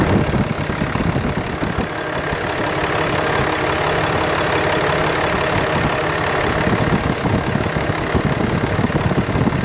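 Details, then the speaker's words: 2013 Ram 2500 6.7L Cummins diesel after replacing the failed turbo (bad VGT actuator) with a BD Screamer HE300VG turbo and new exhaust manifold: steady even idle clatter, no hiss, whistle or knock from the turbo side, no leaks, no boost yet; sounds normal. "Yeah, will you give me a couple perhaps? Sounds pretty normal. No boost occurring yet."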